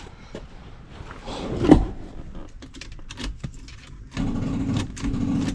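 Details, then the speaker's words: 1977 Ford LTD station wagon, non-running car, after fitting a new do-it-yourself battery terminal: a few clicks and clunks, then a low, labouring slow crank without catching; owner suspects the starter needs replacing. "well it's more progress than before I have a feeling I'm going to be putting a starter in this thing"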